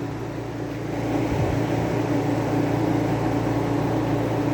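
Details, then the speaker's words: Climatroll air conditioner running: a steady loud hum with a low drone and buzzing from the compressor, louder than it should be. Compressor mounts are suspected. "so i think there's something going on with those compressor mounts the compressor should not be that loud"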